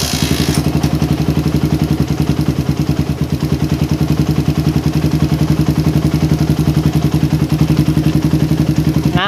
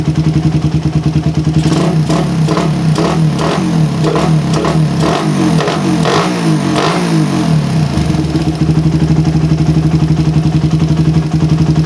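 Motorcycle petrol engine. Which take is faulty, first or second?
second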